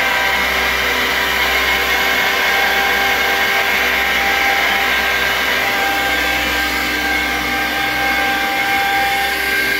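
Harsh, rasping high-pitched run with several steady tones and a rough rattle underneath, an unhealthy screw compressor.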